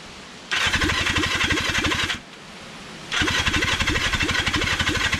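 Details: Kawasaki Zephyr 750 motorcycle, carbs and exhaust just refitted; two long bursts of starter cranking, about four beats a second, never catching. Cranks but won't start because it has run out of fuel.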